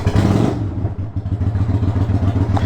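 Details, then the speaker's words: 1993 Yamaha Virago XV535 V-twin, possibly Black Widow exhaust, after first spark plug replacement (old plugs heat range 6, new likely 7; a loose plug found): quick throttle blip, drops back cleanly to steady lumpy idle; warms up faster, runs healthy. "I'm curious about the performance and see if it changed anything cuz it drops down good"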